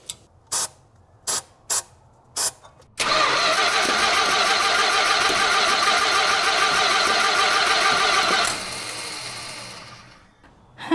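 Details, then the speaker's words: 1967 Plymouth Fury VIP after belt replacement and gas cap change: short starter bursts then about five seconds of cranking that never fires; suspected fuel starvation, cause unconfirmed. "The belts are rotating, and I have no idea what's going on. It sounds like she's starving for fuel,"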